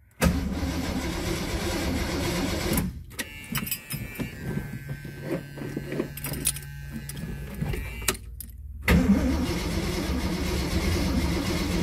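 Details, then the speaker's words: 1979 AMC Spirit AMX, carbureted AMC 304 V8 rebuilt about 20,000 miles ago, first start after installing a Carb Cheater: starter cranks steadily in two bursts but never fires. There is no spark because the ignition coil wires were left disconnected. "no so we have no spark why do we have no spark"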